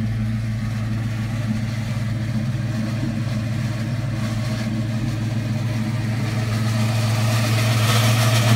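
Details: 2004 Ford Mustang GT idling: a loud droning growl from the clutch that changes and grows when the clutch pedal is pressed. It began faintly a few days earlier. Owner's research and mechanic suspect the throwout or pilot bearing, not confirmed.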